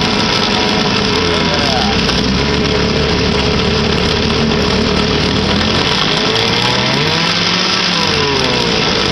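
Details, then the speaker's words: 1959 Kiekhaefer Mercury Mark 6A two-cylinder two-stroke outboard in a water tank, first start in about three years on three-year-old gas, in neutral. A steady, even idle burble with a faint pitch wobble; it runs cleanly and sounds healthy. "yes goddamn sounds like she wants to run even on old gas"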